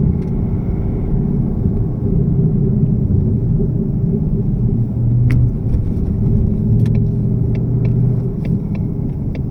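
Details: 2018 Mustang GT cold start after an oil change: deep, even idle with a few sharp rattling clicks. Owner suspects piston slap and says Motorcraft 5W-30 synthetic blend quieted the rattle; unconfirmed.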